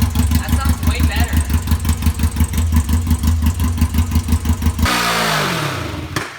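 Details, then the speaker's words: Smart car engine swapped into a bike, after fixing the mix-up that left it on 2 cylinders, EGR and emissions deleted: even, steady idle about three beats per second before shutdown, all cylinders firing, no miss. "It was running on 2 cylinders, so now I should have over double the horsepower."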